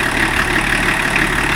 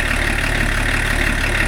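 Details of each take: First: BMW E34 TDS diesel after its first service in over ten years, idling with a slightly slipping wet belt: steady hissing, puffing blow over the engine note from a leaking EGR pipe. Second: BMW E34 TDS diesel after first service in over ten years with new water pump, belts and pulleys: even, steady idle clatter with firm low thrum, no stumbles or hunting; healthy idle.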